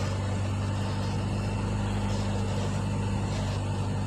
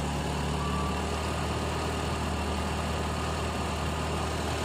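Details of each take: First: CNG-converted car being tested after reducer installation and adjustment, at idle. A steady low drone with a slightly uneven pulse and wandering rpm. Car not yet serviced; unstable idle. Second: Carbureted car on gas fuel, reducer regulator pressure lowered, set at two full turns, tank getting very cold: low steady idle hum, no hunting or surging; stable idle.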